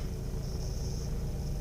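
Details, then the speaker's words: 2005 Mazda RX-8 rotary at optimum running temperature, a day and a half after a rough idle, flashing light and white smoke episode. The idle is steady and smooth with no vibration, though it occasionally drops to about 750. The owner doubts a coolant seal leak. "really smooth not getting any vibrations"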